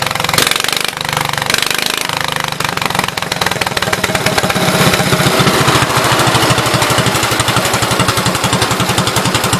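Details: 1974 Case 220 garden tractor, formerly a mud tractor, running (owner plans a better fuel pump): single-cylinder firing rapidly and evenly at steady speed, crisp regular beat, normal running.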